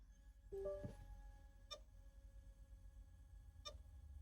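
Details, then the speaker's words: Broken desktop hard drive powered in a dock: faint short chirping whir, then a soft ringing click or knock roughly every two seconds; failing drive. "So, let's see if we can hear what's wrong with this one. So, you can hear that knocking sound."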